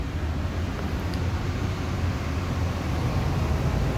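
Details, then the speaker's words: Amana 95 IIQ two-stage variable-speed gas furnace heard from the basement mid-cycle: steady, even low rumble of burner and blower with no knocks, rattles or surging, noticeably louder than before; normal furnace operation. "Let's head on downstairs to the basement again. You can hear how much louder the furnace is now."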